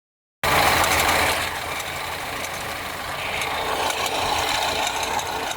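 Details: BMW 316i F30 petrol engine at first cold start of the day idles with light fast ticking over a steady hiss; cause found to be a bad radiator/AC fan belt tensioner.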